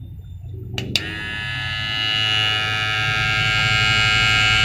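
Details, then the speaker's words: Hair clipper compared against a Taff ware animal clipper (a P6 model is mentioned), unclear which unit this is: a couple of clicks, then a loud, high buzzing hum that builds and sounds coarse. Described as rougher than the smooth one; cause unknown. "Lebih kasar."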